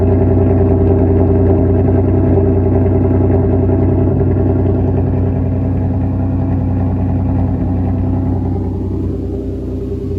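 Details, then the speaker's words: Engine idling after swapping in Nissan GTR iridium spark plugs on a tuned 7th-gen Nissan Maxima with 6-speed manual swap: deep, even idle with a smooth steady pulse of about three beats a second, no misses or ticks; healthy. "Seems like it's fine. You guys hear how healthy that thing sounds? Oh yeah."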